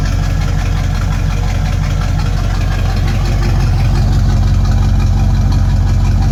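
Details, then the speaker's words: Base 1974 Corvette C3 L48 V8, owned 13+ years, apparently non-stock old exhaust before replacement: deep, heavy, rapid pulsing idle rumble, harsher and louder than stock, a dirty sound because one muffler is missing. "oh it's got a nice dirty sound but the sound is from it not having one of its mufflers"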